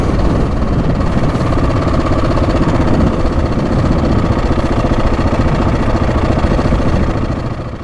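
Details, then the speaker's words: Husqvarna 701 single on the move, after a complete oil and filter change: a loose clatter rides on the thumping beat and follows engine speed, the timing chain still rattling from a worn tensioner. "The bike hasn't settled. It's still there's like a clattering still coming from the timing chain."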